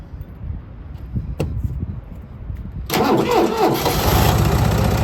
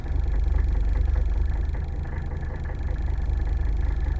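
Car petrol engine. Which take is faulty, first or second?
second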